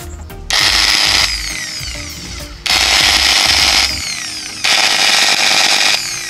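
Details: Makita 9553B angle grinder after repair, previously rough-sounding and overheating quickly: three short runs, each spinning up quickly to a high, steady whine with no rattle or chatter; normal grinder run.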